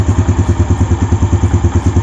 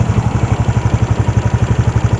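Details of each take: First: Yamaha Jupiter Z1 motorcycle after fixing loose cam chain tensioner that caused ticking on the left engine side: steady even low thump at idle, about eight pulses a second, ticking gone; engine sounds healthy. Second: Yamaha Jupiter Z1 motorcycle, before repair, loose cam chain tensioner on the left side of the engine; fast, regular light ticking over a steady low idle, keeping pace with the engine.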